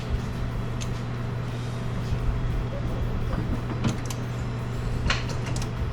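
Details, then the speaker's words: Engine started off a JFEGWO 4000A jump starter pack with a completely dead battery; the pack dropped to 87%. Runs with a steady, even low drone, no stumbling or misses. Normal running after jump start. "start guys I don't know about you but when you did you hear how much power and juice that thing was not weak getting this thing started with a completely dead battery I'm actually impressed"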